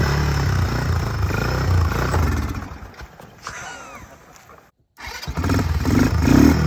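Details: Early-2000s Kymco 150 ATV, sitting 10+ years, with a cleaned starter: single-cylinder runs, dies away, then fires up promptly and settles into a steady idle once the front brake is held to satisfy the safety switch; starting normally.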